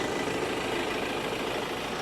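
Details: Ford Ranger XLT after cooling-system repair (thermostat and water pump failure, overheating): steady, even idle with no misses, knocks or surging; temperature no longer rises after test drive.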